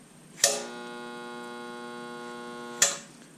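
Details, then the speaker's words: Craftsman 4-gallon 1 HP oil-lubricated 125 PSI air compressor (921.166380): steady electrical buzz about two seconds between switch clicks, no spin-up, room lights dim; motor hums but won't start, motor or pump suspected. "Okay, so I heard a lot of buzzing, no noise, and I also noticed my lights dimmed a little bit. So this is pulling a significant load when it's energized."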